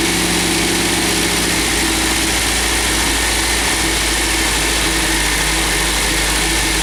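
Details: MGB GT first start after head gasket replacement, valves ground and electronic ignition fitted: fires and settles into a steady, even idle with no knocks or misses; healthy, though a large water leak found afterwards.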